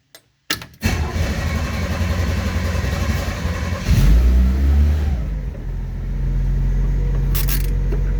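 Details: 1967 Chevy van after ignition switch replacement for lost keys: cranks briefly, fires and picks up, settles to smooth steady idle, no knocks or misses. Normal start and idle.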